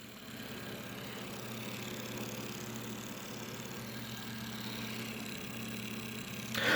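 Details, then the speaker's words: Old Sanyo desk fan motor running without blade during repair, worn thin bushings: steady hum with fast rhythmic scraping rub; homemade spacer oddly shaped and too big, rubbing as shaft spins, needs trimming. "Oh, I know what that noise is. It's my homemade custom high quality spacer. I have to trim it because it is a weird shape and it is way too big."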